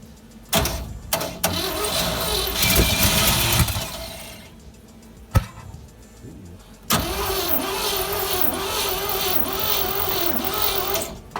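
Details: 1957 GMC 370 2-ton truck, original Pontiac 347 V8, freed after 20 years seized, first start with fuel poured into carburetor bowl: bursts of cranking, then catches and runs rough and wavering, smoky burning off diesel and penetrating oil; unsure if on all cylinders.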